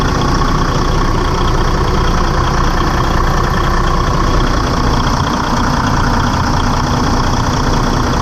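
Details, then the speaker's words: Detroit DD15 diesel just after serpentine belt replacement, started to check belt stays on: deep steady idle, even low rumble, no slapping, squeal or chirp; running healthy. "I'm gonna start it up and make sure the belt don't come off"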